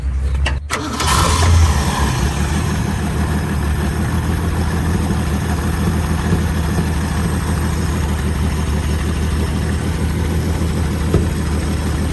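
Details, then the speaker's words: 1970 Ford Maverick V8: cranks, catches and settles into a loud puffy idle from a leaking exhaust — exhaust leak. "running carburetor is the exhaust thing doesn't sound good."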